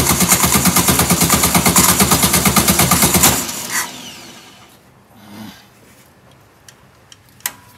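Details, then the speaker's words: 1967 VW Karmann Ghia abandoned 45 years: fast, even starter cranking about three seconds with no firing; no fuel comes through the mechanical fuel pump, only running on carb fuel. Crank no start, dead pump. "yeah the pump's not working so um nothing coming to the pump the pump is dead all right something's going on at the pump that's why it won't stay running"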